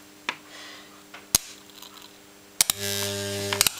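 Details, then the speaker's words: Rewound microwave oven transformer with heavy old earth-wire secondary, about 16 V and an estimated 174 A: quiet mains buzz jumping to a loud steady hum with sharp crackles under heavy load, gets a little warm; normal loaded transformer hum. "Okay, we'll give it a go. Hear the hum. Yeah, it's a lot"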